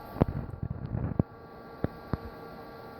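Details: Windows 98 PC with a 30 GB Hitachi Deskstar drive, about two and a half hours into a run. The drive is barely audible, leaving a soft, steady power-supply fan hum under a few irregular light clicks. Power supply fan running normally.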